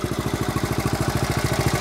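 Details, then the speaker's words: 1970 Honda CT70 Trail 70 back in running condition, fuel with stabilizer, kick-started: quick, even single-cylinder putter about fifteen pulses a second, no misses or knocks; healthy idle. "you can see she's uh that sound brings back memories no issues just a fun little ride"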